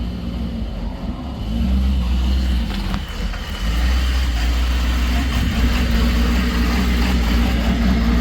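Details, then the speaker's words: Ford F-550 truck with warm engine: uneven idle, deep drone rising, dropping and recovering instead of holding steady; unstable warm idle, cause unknown, going to the dealer. "that's what the truck's doing when after the motor's warmed up I have no idea what's going on so I'm bringing it down to the back down to the dealer have them take a look at it see what's going on"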